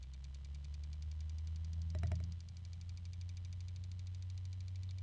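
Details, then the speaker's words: B-gears B-Blaster 140 small electric motor: steady hum under a fast, regular, very obvious clicking from the damaged original unit, bad bearings likely from rough shipping — bad motor bearing. "and you can hear that very obvious clicking sound and I'm just trying to look and see if there's felt chopping fingers off if there's any um physical reason for it other than the bearings"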